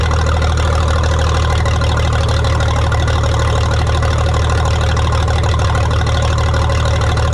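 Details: 1962 Minneapolis Moline G704 tractor on propane, first run after years sitting: heavy, lumpy idle with uneven thump, one cylinder seeming to drop out; owner suspects a miss on one cylinder from spark plugs; engine misfire.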